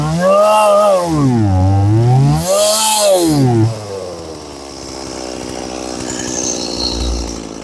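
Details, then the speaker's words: Stihl MS180C chainsaw with throttle held steady: revs rise and fall in a slow wave about every two seconds; compression seems fine, suspected carburetor or fuel starvation, maybe fuel filter; repaired by fuel line replacement. "Okay, so definitely probably carburetor or fuel starvation issue with this one. Maybe fuel filter. The engine's just kind of, it's able to run."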